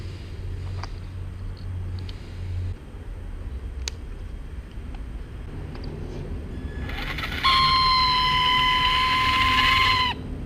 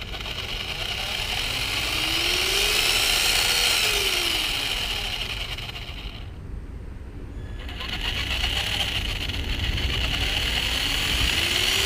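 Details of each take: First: Traxxas Slash 2WD 550 12-turn brushed motor briefly spinning up with a steady, piercing high squeal near 1 kHz, before the squeak fix. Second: Traxxas Slash 2WD with 550 12-turn brushed motor: even electric whir winds up and back down twice with the throttle, no squeak or chatter; brushed motor running smoothly.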